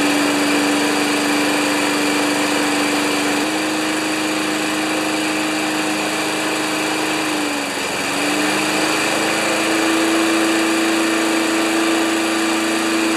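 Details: 1992 Wedgefield Briggs & Stratton Classic walk-behind mower at full throttle, settable rpm lever set to about 3360 rpm maximum: steady high-pitched single-cylinder drone that sags briefly under load and recovers cleanly; normal full-speed run.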